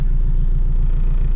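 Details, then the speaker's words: Honda, running well but with a slight rich spot coming into boost, fuel to be trimmed by laptop: smooth steady low idle rumble, even pulse, no knocks or misses; normal running. "13s she's happy idling good Donny's is running good"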